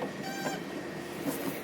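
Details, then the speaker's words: Cessna 177 Cardinal pre-flight check: sucking air through the stall warning hole on the wing leading edge sounds a thin reedy squawk, the horn that warns of nearing stall speed; the stall warning horn works normally. "So when we hear that, we're close to the stall speed of the aircraft."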